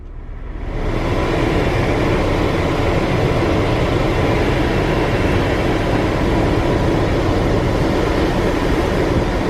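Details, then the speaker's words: Chevrolet Impala 9C1 after replacing the blend door part with a junkyard unit; steady blower rush over a smooth idle with no popping or clicking from the dash, so the blend door works quietly. "got some airflow all right i don't hear more blind door bongos"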